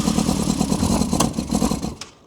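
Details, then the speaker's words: Abandoned 1998 Yamaha YZF600R Thundercat, sat since 2013, first start attempt: irregular popping and spluttering bursts firing only on brake cleaner spray, never catching a steady run; has compression and spark, carbs need full rebuild. "I would say the carbs need a full >> So that's what's stopping it from actually sort of turning over over now."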